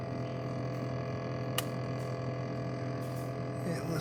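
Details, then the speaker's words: GE fridge after attempted fix; steady low electrical buzz at fixed pitch persists, heard throughout the house, seemingly from one side only; cause not pinned down, still unfixed. "it does not seem that it worked though because I'm still an annoying buzz you can tell me you don't hear it on this side while you do but it's not coming from this side"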